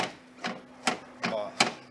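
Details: 2003 Kia Cerato rear door, previously noisy lock, after fitting universal lock actuator wired to original 12 V lead: four or five sharp evenly spaced clacks with brief motor buzz; normal door lock actuator operation.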